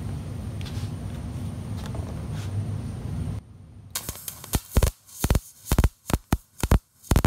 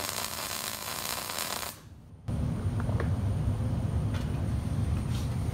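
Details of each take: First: MIG welding with good gas flow and correct voltage but wire speed too low: irregular loud pops and sputters instead of a smooth crackle, leaving soot and a big fat puddle. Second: MIG weld with the ground clamp holding the piece to the table: steady, even crackling sizzle under two seconds, stopping clean, leaving a good bead; normal well-grounded arc.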